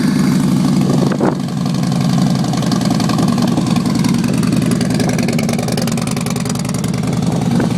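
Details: 2011 Harley Fatboy Lo V-twin after a DIY exhaust swap with new manifold gaskets and no fuel management chip, believed to be running lean: lumpy, loping potato-potato idle with a short throttle blip, no popping or backfire; normal idle.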